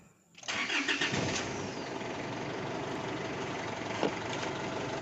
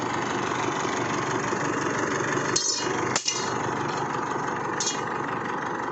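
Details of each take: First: Isuzu Altera, hard starting and stalling: long steady cranking, several seconds of starter churn without catching cleanly; caused by a defective fuel filter and suction control valve. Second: Isuzu Altera diesel with hard starting and stalling, traced to a defective fuel filter and suction control valve: quiet, steady idle with a few handling clicks, no stumbling or hunting. Normal idle.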